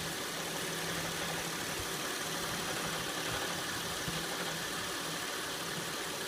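Steady idle with a faint, uneven metallic rattle sitting over the hum, around three beats a second; source not pinned down.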